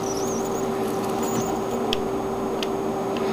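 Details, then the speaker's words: Surround sound system speaker emitting a thin steady high tone with brief chirps under hiss, like a mouse squeaking; intermittent speaker squeak, cause not yet traced. "it just sounds like a mouse squeaking in my ear and it just bothers me"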